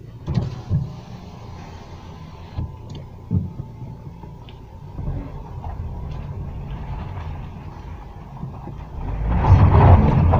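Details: 2014 Renault Duster 2.0 at about 100,000 km, driven after tightening the loose gearbox bracket bolts that had caused growl and knocks on hard or uphill starts: a few light bumps, then a clean pull with no growl or knock.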